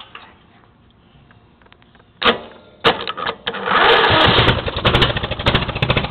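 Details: Riding mower engine cold start without choke, throttle opened slightly: a few cranking bursts, then catches into a busy, slightly uneven run while warming; normal cold start.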